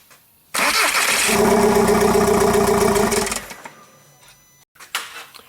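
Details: 2009 VW Jetta TDI, CBEA diesel, no codes, intercooler pipe disconnected: cranks, catches, runs roughly two seconds, then winds down and dies; not an intercooler airflow problem, later traced to a likely clogged DPF.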